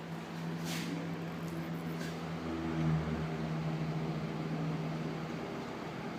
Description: The weird noise whenever I put the blades from a broken KDK/Panasonic box fan right behind the exhaust fan sounds like a fan spinning down, and only occurs while the blades have just started to spin.